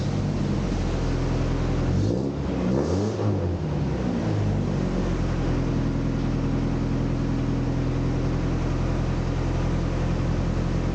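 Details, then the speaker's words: 1988 Toyota Pickup (Hilux) after new fuel pump, fuel lines and alternator, off road about five years: steady even idle with quick throttle blip climbing and settling cleanly, no misfire; now runs. "But mine runs now."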